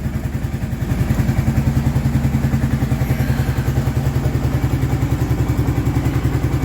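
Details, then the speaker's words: Kawasaki Prairie 650 ATV just rebuilt, cold start warming toward temperature before the fan kicks on: steady, even low idle thump with none of the earlier rattling/clicking heard after reassembly; normal idle. "Once it starts getting up to temperature, the fan should kick on. Hopefully I don't hear that rattling, clicking sound that I was hearing before from when I put it back together."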